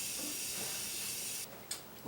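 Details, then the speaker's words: 1994 Saab 9000 AC system pressure test with nitrogen after fitting a new condenser: a steady sharp hiss for about a second and a half, then cut off; pressure leak, an O-ring suspected to have blown out, not confirmed. "it sounds like one of the o-rings blew out that thing is going to be a pain"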